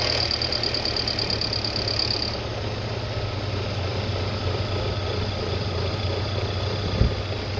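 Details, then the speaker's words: 2006 Audi A4 abandoned about 4 years, just started cold on a spare battery: a fairly steady idle with a faint high whine early on that fades as it warms. The whine is considered normal for a cold start, and it runs fine. "Is that good? Yeah, but that's normal for cars that are just turned on. Whenever you turn on the car for the first time until it heats up, that's what happens."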